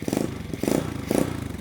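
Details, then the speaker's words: Chinese mini pit bike with 125cc engine swap, just rebuilt with new cylinder and piston: three quick throttle blips rising and falling cleanly, mellow even exhaust, no rattle; normal exhaust note. "Wow. I cannot believe how good that sounds."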